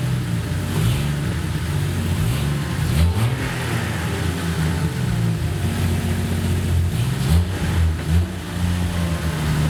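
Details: Jeep Cherokee XJ running after a new fuel rail was fitted to combat vapor lock and four-hole injectors were fitted: steady low drone with gentle rises and falls in revs, no misfire stumble, sounding like all cylinders fire.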